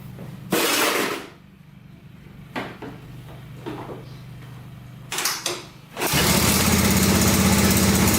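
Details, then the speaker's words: 1986 Honda Fourtrax 350 4x4 ATV that sat for years, after adjusting slightly loose valves to 0.003 in: even single-cylinder idle with only a rare light tick; earlier ticking, once suspected as cam chain, basically gone. "basically gone can hear it ticks sometimes but that's basically gone"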